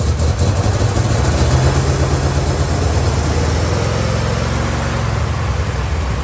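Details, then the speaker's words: 1969 Chevelle V8 with Turbo 400 transmission, revived after long storage, running on a second, long-shelved carburetor: deep, fairly even rumble settling after start with no stumble or knock; runs well. "wow that sounds way better [Music] it runs good i like it"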